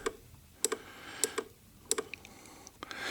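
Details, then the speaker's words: 2013 Ford Kuga 2.0 TDCi with an intermittent no-crank fault; during power checks at the engine ECU the ignition relay gives crisp, evenly spaced clicks about every 0.6 seconds, so it is switching normally. "right so that one there comes through the that's this is the ignition one to fire this one up and I know that works because you can hear it clicking okay okay"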